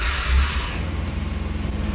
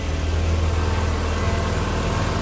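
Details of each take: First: 1997 Fiat Barchetta cranking on a battery booster pack: hiss, then fast rhythmic cranking pulses with a faint thin squeak from the starter motor; starter squeak, not judged serious. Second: 1997 Fiat Barchetta started on a battery booster pack, with a bit of a squeak from the starter motor, then idling with a steady, even low hum and no knocks: normal idle.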